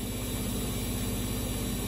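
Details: Siemens Runner E14 3R washing machine after replacing the shock absorbers to fix banging: steady low hum with even rhythmic pulsing as the drum turns smoothly, no banging; normal spin cycle.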